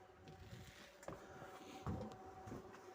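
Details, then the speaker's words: Rear wiper motor on a Lada Largus Cross (about 100,000 km), after a blown 20 A fuse was replaced, ignition on: steady faint motor hum with soft regular thumps as the blade sweeps, rear wiper working normally. "всё поставили включаем зажигание вот что у нас дворник"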